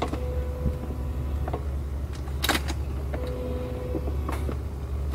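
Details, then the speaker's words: BMW E36 with a swapped-in M52 inline-six, key on before its first start: a steady low hum with a faint, even whine that starts and stops, no engine running. The fuel pump is priming normally; a fuel leak was found afterward. "okay fuel pump's on"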